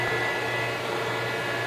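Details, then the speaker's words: Vectrax 17" x 60" inverter-drive lathe: steady whirring hum with faint high whine and no knocking or surging as the hydraulic pump runs; normal hydraulic pump running. "alright so you can hear the hydraulic pump running"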